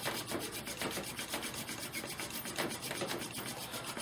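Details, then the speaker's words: Incantation friction fire drill: rhythmic dry rasping strokes, several a second, with squeaking stopped as it moves from glazing to real friction; spindle biting properly and smoking. "okay hear the squeaking stop that means where we've gone from glazing to getting real friction so it's smoking pretty good"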